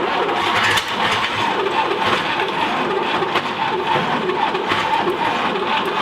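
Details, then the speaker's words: 1959 Apache that sat 40+ years, gas hand-poured: long cranking with brief catches that never settle; fires but won't keep running; constant fuel flow suspected as the need, not confirmed. "but it just ain't gonna do it well i think it might do it with uh maybe some you had some constant flow of gas to it"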